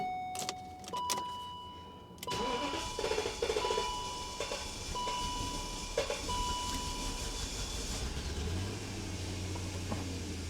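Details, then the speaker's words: 1997 BMW 740i after valve cover gasket replacement for oil-fouled spark plugs: takes long to start, then idles unevenly, sagging and surging, dying without throttle; cause unclear, fuel filter or fuel pump suspected. "let me know what you think the problem is other than the engine and why it takes so long to start"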